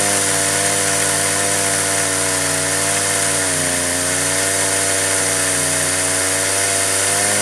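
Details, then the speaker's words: Stihl chainsaw on an Alaskan mill with dual-pulley winch, ripping 3-inch slabs of 28-inch oak with a 10-degree ripping chain: high whine sags then climbs back as hard-to-get-right winch cranking loads it unevenly; engine speed dropping under load. "So you're going to hear the RPMs of the motor go up and down."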